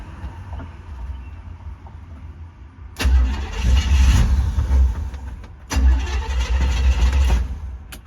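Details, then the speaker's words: 1972 Chevy C10 with a 350 engine and 350 three-speed automatic, started for the first time in years on the gas in its tank: two long bursts of cranking with uneven chugging, never catching; it likely needs more fuel, and it ran once 10 gallons were added. "Huh. Uh I think it needs more gas."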